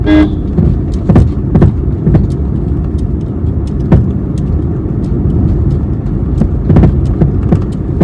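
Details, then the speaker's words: 2022 Maruti Suzuki Swift engine running with irregular dull clunks and knocks as it rocks; the noise comes mainly from the engine mounting, a worn engine mount, before the mount is replaced. "അപ്പൊ ഇതിൽ complaint ആയിട്ടുള്ളത് എന്ന് വെച്ചാൽ engine mounting ആണ് complaint ആയിട്ടുള്ളത് engine മൗണ്ടിങ്ങിന്റെ ഭാഗത്ത് നിന്നാണ് sound കൂടുതലായിട്ട് വരുന്നത്"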